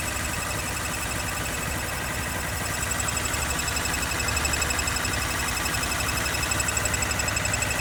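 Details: 2013 Honda CBR250R ABS single-cylinder, 6 months old, 2,500 km, idling with a tinny metallic rattle from engine/gearbox; oil recently changed to synthetic Honda oil at second service, cause unknown to service center.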